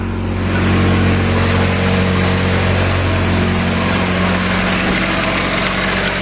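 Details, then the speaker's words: Nissan 240SX KA24DE at idle, mic under the car, oil light on despite a new oil pressure switch and correct oil level: faint uneven low tapping that disappears with the light when revved; owner suspects low oil pressure, unconfirmed. "it went away and at the same time that noise under here went away as well so yeah that's not good"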